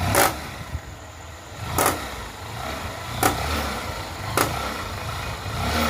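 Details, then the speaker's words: Honda Shine motorcycle, recorded close up at idle: sharp metallic 'kata kata' clacks roughly every second and a half over a quiet single-cylinder idle, described as very severe; chain noise. "బండి అయితే చాలా అంటే చాలా sound అయితే వస్తుంది కటకట కట అనే sound అయితే చాలా ఘోరంగా వస్తుంది"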